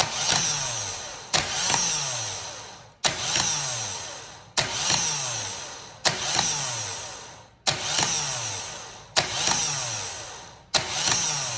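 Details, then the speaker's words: Vectra starter tested by touching the positive terminal: kicks in about every second and a half, then whines down in falling pitch each time; intermittent starter, possibly from loose terminal screw contact. "Teve uma hora que eu que eu coloquei aqui o positivo ele meio que deu duas ativadas isso aí pode ser um mau contato tá"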